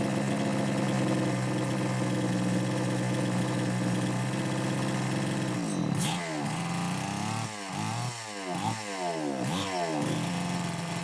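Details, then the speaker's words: Homelite XL-903 chainsaw after carburetor work, stiff fuel hose possibly not letting filter sit in fuel: runs on throttle, then surges and sags repeatedly when let back, unable to idle; won't run on low speed circuit, lean fuel starvation. "don't know, folks. Looks like it won't run on that low speed circuit at all."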